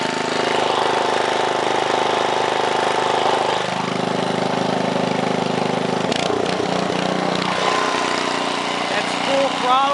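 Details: 1968 Briggs & Stratton 7hp 275cc horizontal engine, all original, started cold on choke at 3/4 throttle: smooth steady drone shifting down and back up with throttle, no misses or knocks; starts up and runs smooth with plenty of torque and power.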